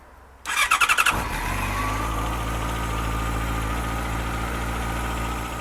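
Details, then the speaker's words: Yamaha FZ6 with a new battery fitted after fault code 46 (battery not charging): a brief starter whirr, then a quick strong start into a smooth, even idle. Codes and check engine light cleared. Normal start and idle. "So a good strong start up. Seems okay. The error codes have gone."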